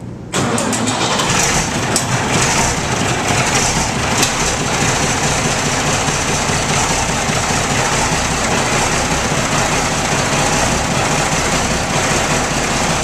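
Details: Ford 9600 tractor, just bought, run only 134 hours in recent years, fuel pump leaking: cranks briefly, catches and settles into steady, even diesel clatter; starts and runs fine after storage.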